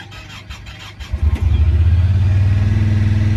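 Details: 2017 Honda Pioneer 1000-5 with 1,200 miles, code 9-2, starting: the engine catches fast and settles to a quick, steady throb; idle sits too high because of factory over-crimped, broken wires at the idle air control valve plug.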